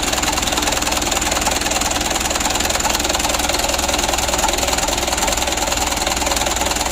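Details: Rough idle on a Mitsubishi Canter 136 PS HDL diesel truck being repaired for hard starting and diesel mixing into engine oil: hard knocking beat about three a second that never evens out.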